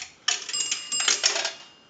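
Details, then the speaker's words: Northern Electric 233QF three-slot payphone after repair and conversion; a dime rings the bell twice, two bright metallic rings about a second apart after the coin drop, normal coin signal. "here's a nickel that will ring the bell once we're going to do another quarter that's going to make a gong sound one more dime bring the bell twice"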